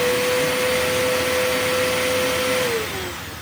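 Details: Eureka The Boss Capture bagless vacuum after repacking two brushroll bearings and replacing broken belt: smooth steady motor roar with clean constant whine, even spin-down at switch-off; slight squeak suspected in motor, running normally.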